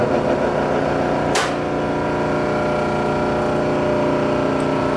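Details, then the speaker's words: Hobart MG2032 8.5 hp meat grinder mixer, three-phase converter switched on before starting: steady low electrical hum, even tone, no knocks or rattles; converter running normally. "So right now I'm going to turn on our three-phase converter so we can start it up for you. You'll hear that humming."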